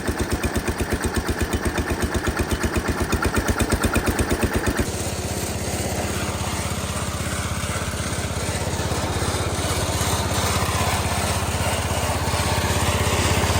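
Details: Massey Ferguson 16 garden tractor with old Kohler single-cylinder engine, revived after being parked roughly since 2013, new replacement ignition: even steady thump at constant speed, no misses or knocks; running normally.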